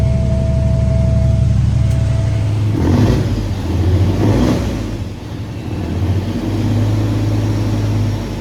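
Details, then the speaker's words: Truck diesel engine just after an in-frame overhaul, first start and rev; a deep, steady rumble picks up smoothly and settles back evenly, sounding healthy, though a bad injector was later found. "So we're done with the Inframe. Crank up. Ran good. Sounded good."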